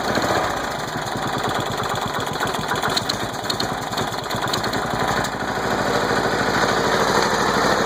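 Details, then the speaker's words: Small single-cylinder engine's first start after being flooded with mossy water, with only the starter cleaned and manual choke used: puttering along a little unevenly but holding speed without stalling or knocking; runs fine. "There we go, she's running after she was flooded. There we go, guys. First start after being flooded. Only thing I did was clean the starter. Fired right up on me."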